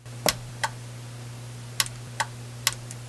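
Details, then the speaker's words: Kenwood TS-440 ham radio, with a blown choke coil in the attenuator supply shorted out by a clip lead: crisp single relay clicks as the attenuator button is pressed, over a faint steady mains hum; the relay switches normally. "So now, if I push the attenuator button on the front of the radio, if you guys listen closely, you should be able to hear this relay click."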